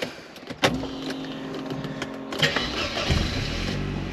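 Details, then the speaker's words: 1993 Mercedes-Benz 220CE (W124) non-runner: petrol engine cranks, catches with rough rise in revs under throttle, then stalls; a relay by the battery was clicking on and off and the throttle body buzzing. "well that's not good is it it just kind of fired and then it turned itself off"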